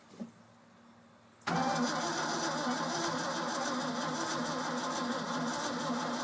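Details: Ford F-600 after new fuel pump installed and fouled spark plugs changed, pump jumper-wired to battery: starter spins steadily with no firing or pickup; cranks but won't start, spark suspected, not confirmed.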